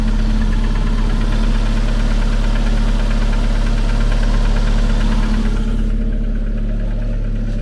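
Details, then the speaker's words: Engine at idle with a light tick three to four times a second. It occurs once per crankshaft revolution, so the owner rules out the connecting rods. The source is still undetermined. "Bon, je fais vite parce que ça ça gicle mais on se rend compte quo que c'est bien chaque tour d' braquin mais pas un tour de le braquin que il y a ce claque. Donc déjà, c'est pas les bies, c'est sûr."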